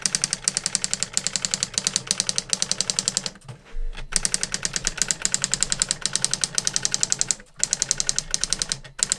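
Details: New-in-box 1985 Epson DX-10 daisy wheel printer printing a Windows 2000 generic text-only test page via the printer port: rapid, even clatter of sharp character strikes with brief carriage pauses; sharp text, normal daisy wheel printing.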